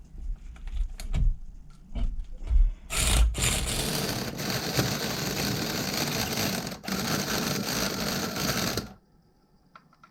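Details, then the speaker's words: Vintage nitro RC engine (OS tagged) being started by a starter after fuel poured straight through it. The starter gives a steady buzzing whirr for several seconds with no firing or catch; the engine will not start. "it's not doing it fellas this one's not doing nothing"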